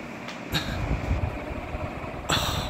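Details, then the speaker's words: Banvil Enviro Breeze Gold Line 56-inch industrial ceiling fan, cast iron motor, dated May 2018, running on full high: a steady low whoosh of air with brief rattles from loose items blown around; normal. "yes this is such a fast fan like now you see I'm probably gonna stop talking here for a bit because I don't want to have it on high for too long"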